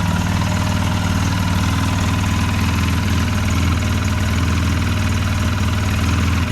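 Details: 2008 Polaris Sportsman X2 700 twin ATV, just reassembled, stock exhaust: low, even throb at a steady idle with no knocks, ticks or misses; very quiet and healthy.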